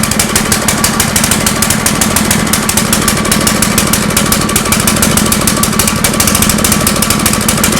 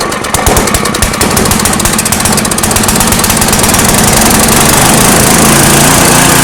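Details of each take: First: Generator running on a homemade tri-fuel conversion kit; fast, uneven pulsing beat with a ragged, unsteady note, never smoothing out: rough running. Owner suspects the hose's tiny inner diameter restricts fuel flow; unconfirmed. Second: Small engine being fitted with a homemade tri-fuel kit, with new inline fuel filter and petcock, running on petrol with propane off: cranks briefly on full choke, catches cleanly and settles into an even, steady run with no misfire or knock.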